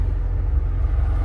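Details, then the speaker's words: An Acura Integra stopped at a red light after a new wheel bearing was installed: only a low, even engine rumble, with no hum, growl or grinding. The former bearing noise is gone. "I am driving the Integra now and oh my God guys the noise is gone the noise is gone I can finally drive this thing now"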